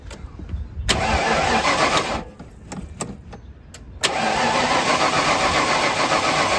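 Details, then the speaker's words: 1995 Ford Bronco parked for years, fuel pump burned out, fuel pressure only 30–38 while cranking, regulator suspected: starter cranks evenly at about four turns a second, stops, cranks again, never catches; computer problem suspected. "right now it's about 38 you want cranking I'll look at it just staying at that 30 35 38 it ain't going to run for you it look like"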